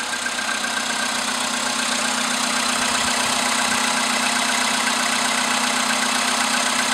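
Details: VW Polo sedan with CFN engine, cold start in the morning after sitting overnight at about 10°C outside: steady, even tapping knock at idle, about four per second; cause not yet determined.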